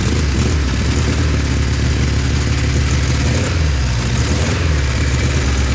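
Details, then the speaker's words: Kawasaki Z1 four-cylinder, first start after revival; loud, lumpy idle with an uneven low beat, sounding like it runs on three cylinders; one cylinder suspected dead, not confirmed. "Kind of sounds like it's on three. Yeah, it does."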